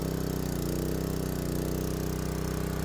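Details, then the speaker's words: Honda GX160 pressure washer with water flowing, after the throttle and governor springs were replaced: a steady, even single-cylinder chug with no misses or surging, holding governed speed; normal running. A leak at the pump's high-pressure seals was found afterward. "The engine started and sounds like it's running very well."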